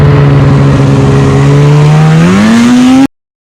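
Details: 2015 Polaris Switchback Assault snowmobile after spark plug replacement for no-start, hard pulling and misfiring: starts second pull, clean crisp rev with smoothly climbing pitch, no misses or stumbles; problem fixed, running healthy.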